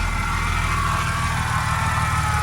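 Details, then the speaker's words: Car after installing a Quicker Racing 525 Hellcat low-pressure fuel pump kit with PTFE -6 fuel lines, cold and smoking a little: steady even low idle, smooth exhaust note, no knocks or misses; normal cold idle. "Alright, so I think I got something working here. It's cold, so it's smoking a little bit. Everything is looking good"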